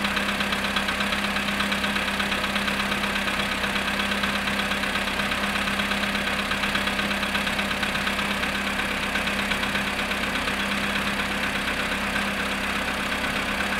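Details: VW Polo sedan, cold start at -7.5°C after sitting 14 hours: a fast, fairly even ticking knock near three per second over a dull idle hum; the cause is not confirmed.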